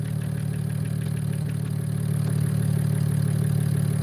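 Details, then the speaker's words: BMW E92 335i after valve cover gasket, spark plug and coil pack replacement: smooth even idle with steady beat, no shaking, misfires or leaks; engine idling cleanly. "it's not uh uh shaking or anything like that we don't got any misfires we don't got any leaks so far everything looks good"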